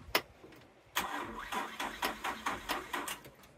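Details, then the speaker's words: 1996 Suzuki Every van after new fuel pump install: starter gives about a dozen sluggish, uneven cranking strokes, roughly four a second, never firing; battery went dead and needed a jump start. "and now we're going to have a dead battery and the battery's dead all right so I'm just going to back my truck up and we'll get this jumped"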